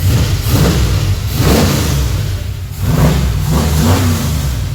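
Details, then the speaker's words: HT V8 still on original distributor while warming up: deep rumble swelling and falling through several blips, smooth and even with no knocks or ticks; normal revving. "I've got a new distributor there, but I just wanted to make sure it runs fine, perfect, warms up, and then I'll pull that out and put the new one they've sent us into it and see how it goes. And that all sounds beautiful."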